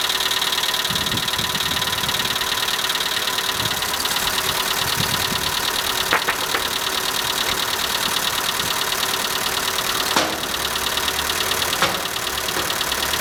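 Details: Skoda Fabia at cold morning idle: fast, fairly even ticking about two per second, a top-end tick; dealer replaced all 16 hydraulic lifters in three visits with no change, cause still unknown.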